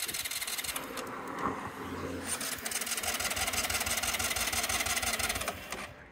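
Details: Sym Jet 14 fuel-injected scooter after valve adjustment, roadside: steady starter churning about three turns a second, never catching; valves apparently weren't the fix, spark plug usable, ECU suspected.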